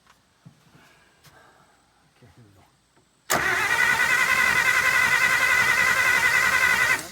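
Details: 1951 Pontiac Chieftain factory straight six, first start attempt in 25+ years, water found inside; after a quiet stretch the starter churns fast and even at about four beats a second but never catches; cranks, no start, ignition points suspected, not confirmed.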